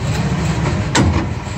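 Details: 2002 Ford F150 SuperCrew shifted back and forth between gears while holding the brake, phone under the driveshaft at the rear U-joint: a single sharp metallic clunk over a low drivetrain rumble. Bad rear U-joint confirmed.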